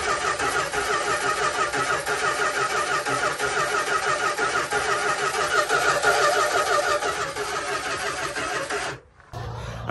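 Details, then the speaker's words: 1972 Dodge Tradesman camper van, abandoned in a field for 10 years, hot-wired after new starter relay, voltage regulator, ballast resistor and battery: about nine seconds of steady cranking, roughly three turns a second, never fires; no fuel reaching the see-through filter even after fuel poured in. "so after cranking and cranking and cranking it cranks a lot but it just wouldn't start um i wasn't getting any fuel"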